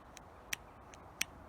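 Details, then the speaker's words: 1984 Honda V65 Magna VF1100C barn find, ignition on: fuel pump gives only faint, unevenly spaced ticks instead of running steadily, pulsing only when disconnected; it did push some fuel up. Intermittent fuel pump ticking, cause unknown. "should get a pulse of a fuel pump there but I'm only getting a fuel pulse of the fuel pump when I disconnect"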